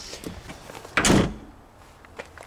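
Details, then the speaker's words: 1997 Jeep Grand Cherokee Laredo ZJ: one sharp metallic clunk among light taps, rear door knocking against its latch because it sits loose; weather stripping planned as fix. "so maybe by adding the weather stripping it will push my door out a little bit more so it won't rattle on that"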